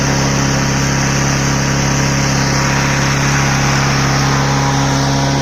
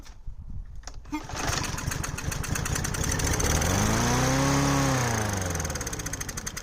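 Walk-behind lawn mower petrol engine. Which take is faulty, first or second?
second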